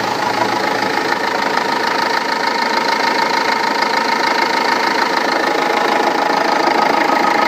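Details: Renault Laguna 2 2.2 dCi diesel at idle after timing belt and water pump replacement: hard, even knock around three per second over the clatter; cause not identified.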